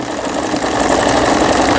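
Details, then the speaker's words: Brother Prestige 20 Taiwan-made household sewing machine, after a gearbox repair that restored its stitch patterns: quick, even chatter from the needle and feed while sewing the overlock stitch, steady pace with no skipping or clunks; sewing normally. "옷감의 가장자리가 풀리지 않도록 해주는 이 오버록 스티치까지 모두 수리가 잘 됐습니다."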